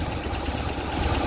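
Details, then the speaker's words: 1965 Ford Thunderbird V8 during inspection drive, idling without vibration: steady rumble with a faint light clack only at idle, seeming to come from the front of the engine, source uncertain; some smoke from rear noted on acceleration. "claquement. Au ralenti seulement. Oui, il provient plutôt vers l'avant du moteur."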